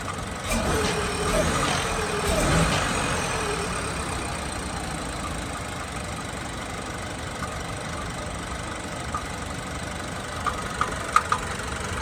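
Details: Chevy truck engine at 36,000 miles at idle: steady idle with a faint, uneven tapping knock underneath, roughly three a second, so the engine is knocking at idle.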